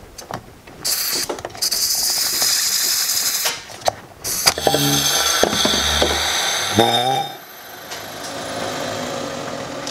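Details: BMW 335i fuel cap being opened: a loud airy rush for a couple of seconds, then a tapering hiss. The tank holds excess pressure even after the charcoal canister and DMTL pump were replaced, with no difference.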